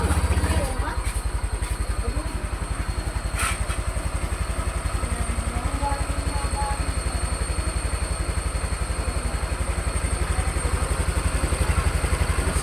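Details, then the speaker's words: Honda Vario 150 scooter with recently replaced RVN Pro piston, idling after throttle-body reset procedure: steady, even putter around four beats a second, no knocking or rattle; sounds healthy. "suara aman ya. Oke,"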